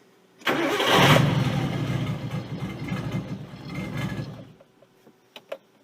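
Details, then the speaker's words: Nissan 240SX S13 RB20DET swap, start for test drive, PCV blocked to stop a vacuum leak; engine catches then runs an uneven pulsing idle that sags as if to stall before cutting out: rough hunting idle, cause unconfirmed, owner thinks it needs warm-up. "But it started right. Come on. It might hunt a little bit. Don't stall out on me, baby."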